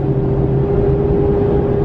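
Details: Bone-stock 2017 Ram 2500 Cummins diesel, 68RFE, 3.42 gears, towing toy hauler: fixed-pitch whine over low rumble under hard pull; owner suspects fan screaming, unsure if normal; cause unconfirmed.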